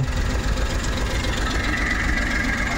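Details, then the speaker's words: Suzuki Every Wagon engine at idle misfires with a rough, shaky, uneven rumble and vibration while rpm stays steady; pulling plug leads one by one, disconnecting the third cylinder's changes nothing. "Palyado yung makina anan. Palyado siya. Nagvibrate 'yung kanyang makina."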